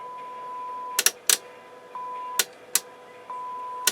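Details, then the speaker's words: 1981 Realistic STA-2250 receiver during a power test with a test tone: the steady tone is broken by sharp crackling bursts about every half second from a control that is still scratchy after cleaning. "that's weird oh that's still scratchy I thought i' cleaned that up"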